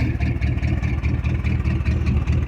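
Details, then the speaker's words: 1973 Ford F-250 V8 started for the first time in 18 years, smoke clearing, glass pack mufflers; deep throaty burble with an even pulse at fast idle, running healthy and smooth; normal running. "they're running crazy right now but it sounds good"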